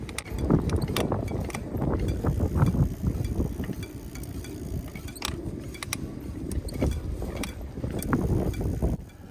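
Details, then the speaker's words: Hub motor e-bike wheel while riding; light irregular metallic pings and clinks over the rolling hum, like wind chimes. Caused by several spokes working loose; fix is tightening them evenly. "that means your spokes have come loose. So you have one or more loose spokes."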